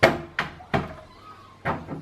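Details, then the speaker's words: Cat door flap after its hinge was greased with plastic grease swings and taps shut with no squeak, much quieter than the untreated door. "can see this one makes a lot less noise after"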